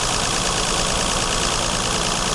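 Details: Mercedes W126 280SEL petrol engine after fuel distributor repair, idling at 920 rpm: steady, even, busy hum with no distinct knocks or misses; worn engine mounts let the body shake heavily.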